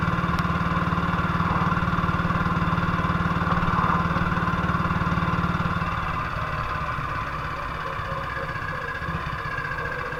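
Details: 1958 BSA C12 single on a road test after its misfire was fixed: it thumps along evenly at a steady beat, then eases back with no stutter or missed firing. Running cleanly, it sounds like it used to.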